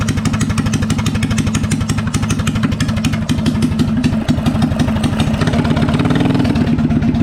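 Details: Coleman BT200X minibike small single-cylinder engine running after spark plug swap to an E3; earlier it skipped, sputtered, stalled and backfired without starting (old plug sparked only intermittently). Now quick, fairly even popping beat, no backfires or misses; runs cleanly.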